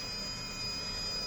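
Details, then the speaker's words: Narrowboat engine bay with a Vetus M4.17 engine (about 500 hours) and Technodrive gearbox: a thin, steady high whistle over an even whirring hiss, no surging or rattle, from the diesel heater in the corner. Normal heater fan running. "The whistling that you can hear there in the background is the diesel heater whirring away,"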